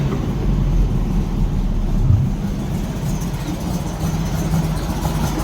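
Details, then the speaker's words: 1964 VW Beetle air-cooled flat-four that had been backfiring, running after swapping in a new ignition coil. Steady low burble, slightly cold but firing evenly on all four, with no popping or backfire. Normal running. "can you believe sounds so much better huh little bit cold still but it's firing all four"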